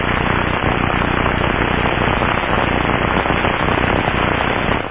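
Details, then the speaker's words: Aircraft bearing heard through ultrasound probe headphones: loud, coarse, steady rushing with no clean tone or tick; loud rough rushing indicates lack of lubrication, bearing lubrication starvation. "crackling sounds indicate bearing [Applause] failure and rushing sounds which are loud and rough can indicate a lack of"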